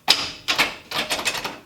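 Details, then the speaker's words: Garage door with old bearings that were greased but worn loose, before replacement with silent rollers. Harsh metallic clatter in three uneven bursts as the door moves and the rollers rattle on the track: worn roller bearings. "A lot of metal on metal. Real noisy. And if you can see in there, these bearings are toast."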